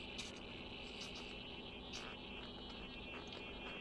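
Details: RC car steering servo on battery power, receiver on, ESC disconnected: thin high-pitched buzzing chatter with small irregular bursts, fighting to recenter; chatter and grinding persist when the wheels are moved by hand.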